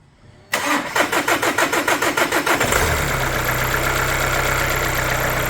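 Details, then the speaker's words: Audi A3 first start after timing belt replacement, fuel filter, coolant bottle and pipes refitted: cranks briefly, catches quickly and settles into a smooth, even idle; normal start and idle. "There we go, running lovely."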